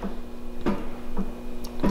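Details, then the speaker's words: Dry lower ball joint rocked by hand in a demonstration: four sharp clicks about 0.6 s apart at only ten thou of play, normally taken up by grease and well under the Dodge .090 in spec. "so that's an audible clunk at ten thou and that's easily uh taken up by grease i mean obviously these are dry for this demonstration but this is typically what you'll see on a normal application"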